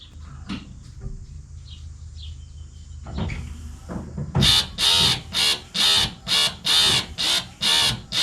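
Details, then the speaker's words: 1966 Mustang windshield washer pump, with under 12 V at the pump and an intermittent wiper motor contact: the pump buzzes in regular pulses about once a second, seemingly in step with the wipers. Pulsing washer pump, cause unconfirmed. "So, it's actually not intermittent. It sounds like it's pulsing. I bet if we look at the voltage on the circuit, it's pulsing. It seems to be pulsing with the action of the windshield wipers."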